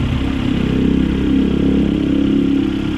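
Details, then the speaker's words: Suzuki APV after replacing ignition coils that caused misfire, low power and vibration: low, even idle hum with no shake or stumble and a steady beat; the engine is now idling smoothly. "Oh wala ng hinig wala ilog wala ng kalog umaarangkada"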